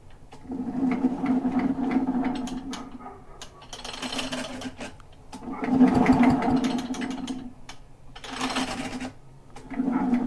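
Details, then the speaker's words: Echo PB-500H blower that won't idle and runs poorly, plug out with oil in cylinder, hand-cranked: rough rasping scrape each turn about four a second; scored cylinder, though mechanic first wondered if fan fell off. "that's a very concerning noise i'm thinking the fan or something fell off the back perhaps i don't know"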